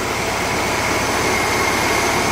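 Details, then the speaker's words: 1950s air-cooled VW flat-four built from two junk engines, partly warm, on old plugs, points and mismatched condenser: smooth fast even idle, quiet generator, no exhaust leaks; normal idle. "Sounds good. That's with all old tune-up parts. Got old plugs in it, old points, condenser out of something else that doesn't even fit for it."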